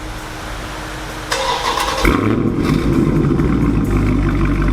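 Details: 2019 Dodge Challenger V8 just after Corsa axle-back exhaust install: cranks and fires at about two seconds, then deep even rumble with no knocks or misses; normal healthy start and rev.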